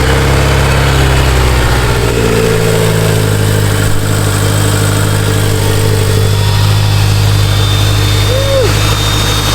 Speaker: Let this thing warm up so I can bleed out the coolant system, but everything sounds good.